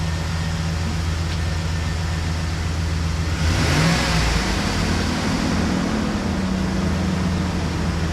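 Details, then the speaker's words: Chevy Express van V8 after exhaust manifold replacement: steady idle, then a clean smooth rev with no ticking; the earlier exhaust tick is gone and the engine is quieter, with slight oil burn-off. Normal. "I don't know if you can tell, but I can. Oh, there's no ticking. There was a tick. Yeah. It's gone. The tick's gone. Yep. It's quieter."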